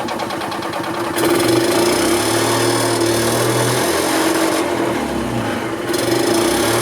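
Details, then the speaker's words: 1990 EZGO Marathon golf cart two-stroke with oil injection, jacked up since it has no neutral, after carburetor cleaning, new filters and fuel line: steady fast even buzz, no stumbling or misfire, runs good and strong. "this cart runs good nice and strong yeah that's a winner"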